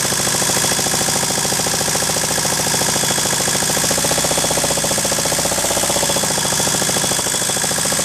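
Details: Ford 1.8 TD diesel at idle: a hard, rapid, even knock in time with the crank from a worn crankshaft bearing; the crankshaft later broke in two.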